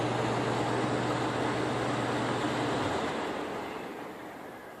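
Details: Attic HVAC air handler after replacing the relay that opens the duct baffle (fault was an intermittent cutoff). On the shutdown test, a steady low hum and fan rush cut off cleanly and the airflow coasts down quietly with no thump. It now works properly.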